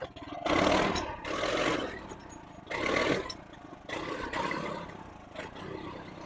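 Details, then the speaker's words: Honda GX390 in a 2005 Chuck Wagon 4x4 UTV with a number 100 main jet, choke almost fully closed: note swells and drops every second or so; coughing and surging, later reverted to original 91 jet. "so what we did we put the uh the number 100 jet in the engine and it seemed to be running better however I had to keep the choke almost uh all the way closed uh to get it operating correctly"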